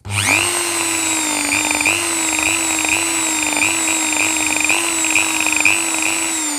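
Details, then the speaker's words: Dremel 4000 rotary tool set to 30,000 rpm: a high motor whine that dips and surges erratically instead of running smooth like a new one, caused by worn carbon brushes that were then replaced. "they can really hear that sound it's really intermittent and all over the place so that's when the brushes are worn"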